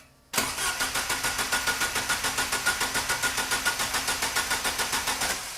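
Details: Opel GT Targa after installing a Weber 40 DCOE carburettor, first test fire with throttle linkage not yet hooked up: starter cranks at a steady chug, about three and a half beats a second, for five seconds without catching.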